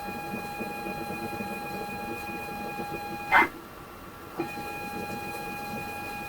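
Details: ZX Spectrum 128 +2 (borrowed) loading Football Director from cassette via externally soldered tape connector, internal drive faulty; steady high leader tone, clean gap, short bursts of loading squeal, yet nothing loads; tape load failure.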